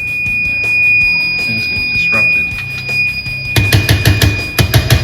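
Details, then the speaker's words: Auto-sensor faucet in alarm after a weekend power outage: steady, shrill high-pitched electronic tone held for several seconds; the loss of power broke the circuit, and the faucet stops working and wails. "power went out over the weekend and this uh it's one of those things that can happen when the power goes out"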